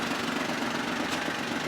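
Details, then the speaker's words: Auction non-runner, after about 10 minutes of running and warm, half tank of fuel, no temp gauge: steady, even idle, smooth murmur with no knocks or rattles; still sounds great, normal warm idle. "I'd say as of right now it's a winner look about 10 minutes of running still sounds great no weird rattles no nothing"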